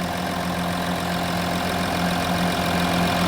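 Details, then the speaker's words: Audi Q7 after battery replacement (jump-started earlier), engine warm at idle in shop, multimeter on battery reading about 14.23 V, bouncing slightly; smooth, even idle with steady low hum, no knocks or misses; charging system working, normal idle. "as you can hear the engine is running and our system voltage is 14.23 volts so it's kind of bouncing around so that's good 14 volts at idle is good our charging system is working"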